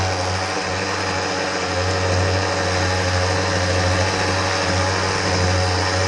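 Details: Husqvarna 125B handheld blower that wouldn't start or ran poorly, loose wiggling carburetor, test run after repair, primed and choked. Steady, high-revving two-stroke drone holds even with no surging, stumbling or dying; the blower now runs properly.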